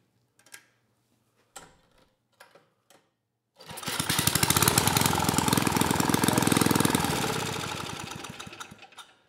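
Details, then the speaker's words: 1980s Troy-Bilt Junior tiller, 3 hp Tecumseh HS35, started at max governor spring tension and wide open throttle: after a few pulls runs at a steady even beat; governor, suspected broken from over-revving, was just misadjusted and holds speed. "beautiful I think we dodged a bullet on this one I thought for sure the governor was broken inside the engine given how sloppy that arm is and the fact that the engine was over revving but as it turns out it was just misadjusted"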